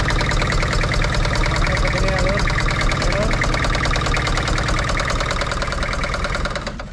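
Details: Toyota Kijang Kapsul LGX 2L diesel, injector pump, nozzles and pressure checked good: rough, clattering idle with an uneven knock about two beats a second, rough running from a stuck valve shim before valve adjustment.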